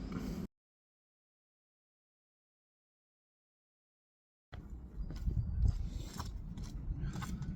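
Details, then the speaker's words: Classic Mini on first start in 12 years, with low compression found earlier: after a short burst and pause, the small engine settles into a steady low run with no knocks or misses; sounds healthy. "Yes. That sounds so [ __ ] good."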